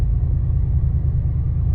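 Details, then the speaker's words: 600 hp Roush Gen 1 Ford Raptor: deep uneven judder on the light-throttle 3–4 upshift as the clutch plates slip trying to lock up while the transmission relearns. "it's those clutch plates trying to lock up and the transmission is trying to learn and it doesn't sound good"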